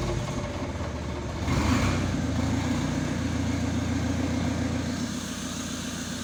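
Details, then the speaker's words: Rebuilt Renault 1.9 diesel first start after rebuild, no coolant, exhaust and catalytic converter not fitted: rhythmic cranking, then it fires cleanly into an even, steady diesel clatter without misses; normal start. "ale jak widzicie idzie bardzo bardzo równiutko bardzo cicho wydechu nie ma jeszcze nie bo katalizator leży gdzieś tam na bok"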